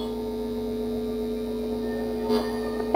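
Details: Bluetooth audio amplifier making a steady low electrical hum, mains noise from a grounding fault that garbles played music; grounding the board to the chassis cut the noise about half.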